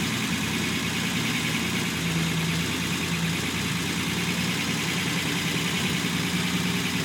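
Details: Unimog 404 first start-up after rebuild with new fuse boards and a rewire: steady, even idle with a smooth low rumble and no knocks, misses or ticks; normal idle.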